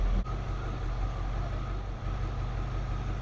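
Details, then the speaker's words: 1967 Chevy Bel Air wagon, sat 30+ years, now idling: deep, even low rumble at a steady beat with no misses, knocks or ticks; running great. "hopefully it holds this just the six's running great now I can't believe it she's a real sweetheart"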